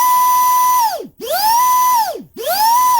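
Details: Small 2S brushless RC boat motors (2030 size, 7200 and 5200 kV) bench tested unloaded; clean high whine climbs to steady pitch, holds, winds down, three even spin-ups, motor got warm; normal motor run.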